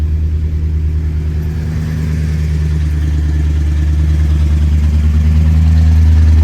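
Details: 1962 Chrysler 300 Sport that had sat 15 years, fast-idling after a morning cold start: smooth, even low rumble at a raised idle, steady and settling slightly as it warms; healthy.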